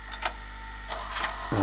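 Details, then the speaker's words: Panasonic NV-SJ200A late-1990s VHS VCR with Z mechanism, just switched off; brief whirring with light clicks and rising motor hum as the deck winds itself down; normal mechanism run-down. "I'll just shut that off so it's not making so much noise. Although it'll probably make a bit of noise for a minute until it shuts right"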